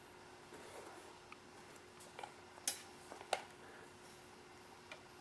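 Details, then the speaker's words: Foscam FI9821W IP camera speaker held about six inches from the camcorder microphone with the larger 9 dBi antenna fitted: soft steady hiss, faint hum, a few scattered crackles, far quieter than with the original antenna; reduced speaker crackling. "that it's a just a slight hiss right now there's some crackling but it's definitely not as loud as the original fos cam antenna"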